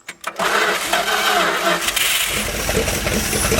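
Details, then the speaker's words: 1970 Dodge Power Wagon 200 Dude V8 four-speed plow truck, off the road 40 years; brief cranking, then it catches and runs loud and slightly ragged with a rattly exhaust roar. Engine sounded good on first start. "that's exciting 40 years off the road that engine sounded good so mhm"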